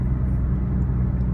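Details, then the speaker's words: 2009 Hyundai Accent driving after both sway bar end links were replaced. Steady low road rumble with no clunks or rattles from the front suspension: the clunking/rattling noise is gone. "bar links have been replaced hallelujah the clunking rattling noise is gone"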